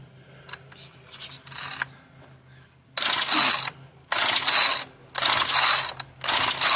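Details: Marketplace-find two-stroke machine that earlier ran rough and died, given extra lubrication: four rough, rasping pull-cord strokes, each about a second, with no firing at all. The owner judges it parts-only. Cranks but won't start; cause unknown.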